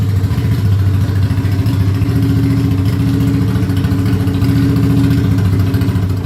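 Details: Ducati Monster 695 café racer on its first start after custom rewiring, new ignition coils, HT leads and handlebar switches: loud, deep, lumpy V-twin idle with a steady uneven beat and no knocking or rattles; runs healthy.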